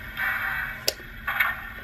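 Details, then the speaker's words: Sn3 model loco selected as address 20 on a Wilson S-Cab: two short mid-pitched chirps with a click between, the decoder acknowledgement confirming connection. "okay did you hear that if it doesn't do that you aren't connected so you have to do some command to make it make it make some noise"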